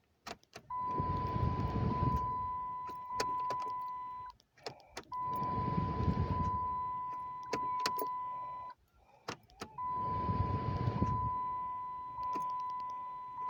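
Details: 2008 Dodge Charger, intermittent no-crank returning a week after a shop repair, starter relay already swapped: three key turns give only the dash chime and faint clicks, never cranking; cause unclear.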